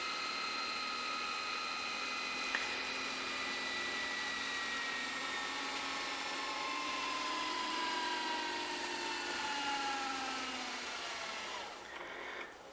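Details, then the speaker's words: Lite-On DVD/VCR combo, VCR section fast-forwarding a tape: smooth whirring wind whose pitch slowly falls as the reel fills, speeding up toward the end then automatically easing off near the end so the tape doesn't snap; normal fast-forward. "But then you notice when it gets real close to the end, it slows down automatically so that way the tape doesn't snap, which is a very nice feature."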